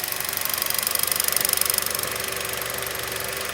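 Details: Hyundai Solaris 1.4 G4FA with oil consumption, suspected counterfeit timing chain: steady fast loud ticking about four per second over idle with a bright metallic edge; camshaft error logged, piston slap and chain suspected, source unclear.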